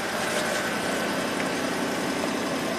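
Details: 2003 Ford 5.4L V8 (called Expedition and Excursion), over 200,000 miles, after repairing a no-fuel-pressure fault (P0231) by feeding the pump from the PCM relay. Pump draws about 5 amps at 13 volts. Steady, even idle hum with no knocks, misses or surging; running normally.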